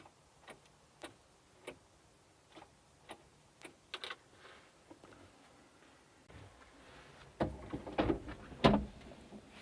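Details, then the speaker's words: Daewoo Solar 035 3.5-tonne excavator won't start: a few dry single clicks about a second apart with no cranking; owner suspects the starter solenoid and plans to measure voltage at the starter. "know if you could hear that it clicked so I'm not too well guess would be that it's the solenoid on the starter"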